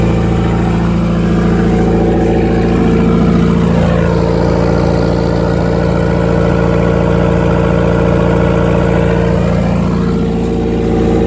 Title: Yes, it's got rod knock